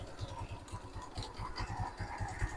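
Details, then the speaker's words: Motorstar Easyride 125 scooter idling after CVT cleaning (deposits removed, kick starter taken off): even low thump and steady belt whir, no longer noisy like before the cleaning. "bale hindi na masagwa ayan hindi na masagwa yung tunog oh hindi na Ganon kasag hindi kagaya nakaraan"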